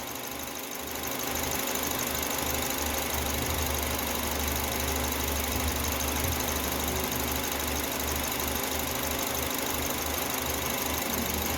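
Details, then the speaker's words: Citroën C4 2.0 on gasoline after belt installation, not fully warmed (88°C), manifold pressure 250: steady idle hum with even firing and faint high hiss from injectors, considered normal, no misses or knocks; normal idle. "barulhinho aqui aqui é os bicos a turma vem aqui dos bicos esses esses onda aqui faz um ruidinho meio excessivo esses vídeos normal tá"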